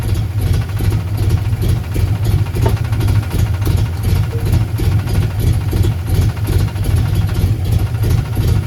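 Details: 1990 Ford Mustang LX notchback 5.0 with F-cam, 30lb injectors, no O2 sensors, idle adjusted, plugs not checked; loping V8 idle now fairly steady and even, much better than at first start, though finicky when cold.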